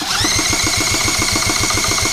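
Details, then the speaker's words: Honda Z50 monkey bike after a top-end rebuild with new valves, cranked with starting fluid: rapid even chuffing pulses about six a second, never firing; a cranking no-start, lack of spark suspected. "nothing why won't this thing Spark I just don't understand it"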